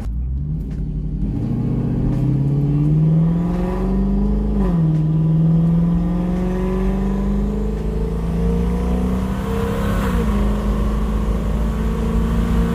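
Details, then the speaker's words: Lexus LS400 V8 with rear-mount turbo on about 3 psi boost while driving: deep smooth rumble climbing and settling evenly with throttle, no knocks or rattles; normal running under light boost. "it sounds bloody beautiful [Music] rather a demamp so 3 3 psi what a glorious sound"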